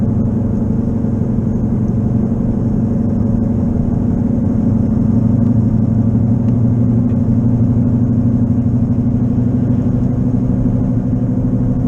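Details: Car cruising at about 55 mph on slick, wet roads: a steady low drone rumbles under the car and grows with speed, louder in right turns. Owner concluded a bad left wheel bearing, not yet fixed; it was first mistaken for an engine knock.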